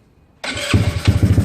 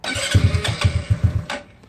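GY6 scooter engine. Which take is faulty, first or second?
second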